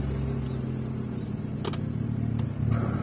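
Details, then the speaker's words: Honda Brio (first generation) at idle: the engine note roughens and grows louder with a few sharp clicks as the AC engages. The noise comes from the AC compressor. "Begitu kompresor AC berputar, suaranya akan berisik seperti itu. Suara bising itu berasal dari kompresor."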